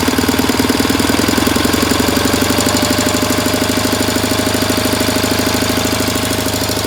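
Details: 1967 K-750 motorcycle boxer twin on 92 petrol, plugs fine, valve clearances earlier in tolerance, camshaft bushings worn: revving brings a steady dull thudding of about three knocks a second into the air filter area, cause unknown.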